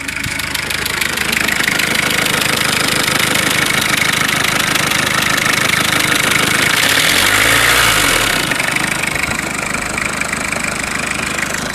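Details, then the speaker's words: Citroën XM 2.1 TD phase 1 diesel idling with a sharp, even clack about three times a second over the clatter. Rocker arm (culbuteur) valve gear noise is suspected, not confirmed. "Bon là les culbuteurs on les entend bien. Clac, clac, clac, clac, clac, clac, clac, clac."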